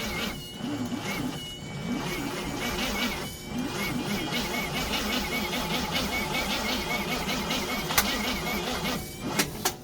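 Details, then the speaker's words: 1936 Oldsmobile engine that has not run in 25+ years, with fuel sucked into the carburetor and timing being adjusted. Labored, uneven cranking that drags on each compression stroke and never catches; the starter is suspected weak despite good compression. "think that starter's got any nuts to it. >> It don't sound like it."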